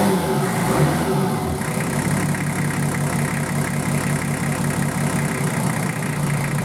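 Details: Nissan Patrol RD28 diesel just started after injector and pump install, lines bled by cracking injectors while cranking: settles from a brief rev into a steady, even clattering idle with no misfire; normal diesel idle.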